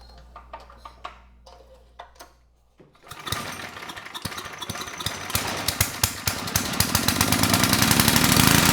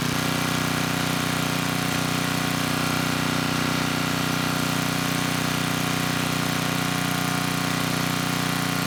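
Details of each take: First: 10hp Tecumseh HM100 on a 6000 W Western Hemisphere generator, lots of fuel in the air filter, throttle resting wide open: light clicks, then catches and runs ragged with uneven pops as revs climb. Rough running from a flooding carburetor. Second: 10hp Tecumseh HM100 on a 6000 W Western Hemisphere generator with a replacement Oregon 50-656 carburetor, started on choke: smooth, even single-cylinder hum at steady governed speed, no hunting. Normal running.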